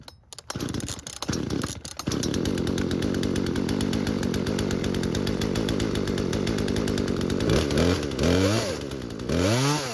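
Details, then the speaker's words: Chainsaw that wouldn't start because its fuel lines were missing, running after the fuel lines were replaced: catches after a few pulls, holds a steady, even two-stroke buzz, revs cleanly up and down; started and ran without issues. "So, luckily for us, it started and ran without any real issues."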